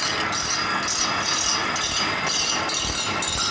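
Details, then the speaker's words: Toro Greensmaster Flex 21 walking mower reel on a Dual Express grinder as the stone first touches: a sporadic hissing grind, heavier at one end, swelling and fading about twice a second. Uneven grinder contact across the reel; stone not yet level. "There's our first contact. You hear it? It's very sporadic. A little bit solider on that end."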